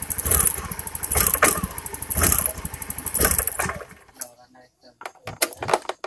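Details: Honda Beat injection scooter misfiring (brebet): uneven, stumbling pulses, then sputters and cuts out; spark leaks from the plug cap, whose metal clip is missing so it doesn't lock, arcing to the engine; spark plug also damaged.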